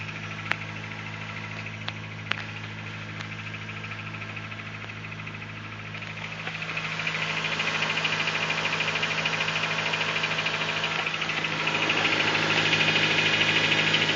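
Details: Honda Civic D16 petrol engine on cold start: cold idle with a steady light knock about three beats a second; suspected piston slap, unconfirmed.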